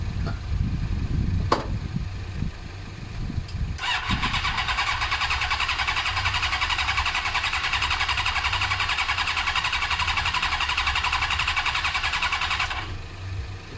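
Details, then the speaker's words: Suzuki GSX-R cranking with brake cleaner sprayed in; compression seems fine but owner feels it isn't sparking; steady starter whir for about nine seconds with no fire; later fixed by fitting an ignition with the resistor. "changing sounds good for my compression point of view I feel like it's not sparking"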